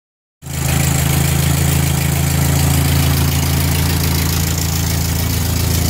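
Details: 1946 Ford tractor (called both 2N and 9N), 3rd start after full engine gasket set, carb rebuild, valve seals, bent exhaust valve fix, and timing and carb tuning: fires at once into a steady, even low chug with no misfires or knocks; normal idle.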